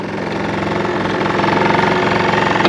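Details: Early Honda Live Dio ZX two-stroke scooter idling on its stand: steady idle with a rapid, even ticking rattle over it, a known bearing noise on early models; bearing cause suspected, not confirmed.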